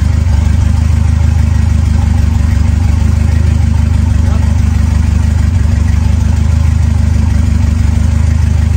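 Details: Ford 2.3L turbo Lima swap on a PIMPX batch-fire engine computer, just started and warming up before base timing is checked against the computer setting: steady, deep, smooth idle with no misses, knocks or surging; normal idle.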